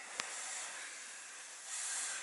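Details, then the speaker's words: Kenworth T680 truck underside: steady thin high-pitched continuous hiss swelling slightly, compressed air escaping at a leaking quick-disconnect fitting. Air leak hiss. "right here it's this quick disconnect sleeking I hate these things I really hate these quick disconnects you can hear it right there"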